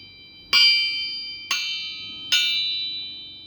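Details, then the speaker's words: Crankshaft from a turbocharged 361 big block Mopar out of a 1973 Dodge Charger, struck on the floor: three sharp strikes each ring clear and fade slowly. The crank rings true, with no crack. "Sounds like the crankshaft isn't cracked, so we're all good there."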